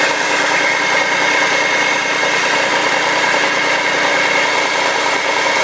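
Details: 2004 Audi allroad 2.7T cold morning startup: loud steady hiss with thin high whine at idle, lasting 30-45 seconds then gone when warm; check engine light appeared once, steady, then cleared; source unknown.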